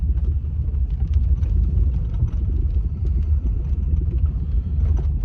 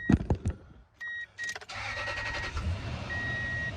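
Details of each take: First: 2003 Toyota Tundra 4.7 V8, driving, nearly out of gas: deep rumble with uneven, stumbling beat and visible shaking, check engine light flashing; misfire codes on cylinders 6 and 8 from a bad ignition coil pack. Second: 2003 Toyota Tundra 4.7 V8 after replacing all eight spark plugs (earlier cylinder 6 and 8 misfire, bad coil pack): door chime, brief crank, catches immediately and settles into a smooth, even idle with no misfire stumble; normal start and idle.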